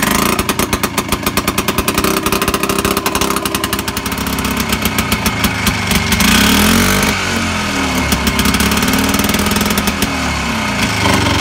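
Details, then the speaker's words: Harley engine in a golf cart run with no exhaust or muffler fitted; every firing stroke snaps out a sharp crack like a .22 pistol, quickening as it revs. "every cycle the engine sounds like a fire of a 22 pistol so see if i can find something"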